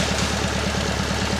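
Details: Alfa Romeo Spider, twin carburettors, after head gasket work following overheating, air filter off during a balance check: quick, even pulses at a steady warm idle with no hunting or misfire; carburettors well balanced, though the idle is somewhat high.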